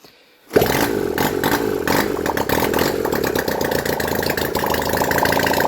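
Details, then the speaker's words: Honda CD175 after setting timing and reinstalling the engine, run without exhausts from a leaking fuel bottle running low: fires at once into a loud, sharp, fast crackle that stays running but sounds raw and uneven; health unclear. "I'm not too sure how well it's running right now because I need to put on the exhausts, but it does seem to stay running."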